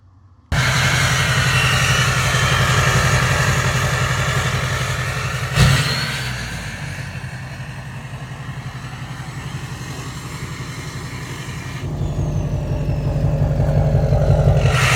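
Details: 2006 Chevrolet Silverado LBZ Duramax diesel after DSP5 switch install and factory exhaust brake activation; steady deep diesel rumble whose tone and loudness shift twice as the exhaust brake engages and releases: exhaust brake operating normally.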